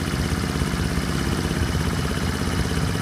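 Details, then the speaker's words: Small horizontal Honda single (C50/70/90 Super Cub type) after valve adjustment, warmed up about 15 minutes: even idle with the tiniest light sewing-machine valve tick, not invasive; normal idle with light valve tick. "that's why they call these little sewing machines is because they they just have the tiniest little tick to them"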